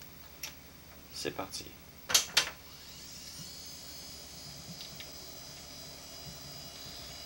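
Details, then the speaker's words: Quantum Fireball CX 6.4 GB hard drive: handling clicks, then a thin, high, steady whine as the disk spins up, louder than another 6.4 GB Fireball, showing these drives get noisy with wear. Worn hard drive noise. "Donc, celui-ci, comme vous pouvez voir, peut démontrer que les Quantum Fireball peuvent commencer à faire beaucoup de bruit quand ils s'usent. Celui-ci fait plus de bruit que l'autre."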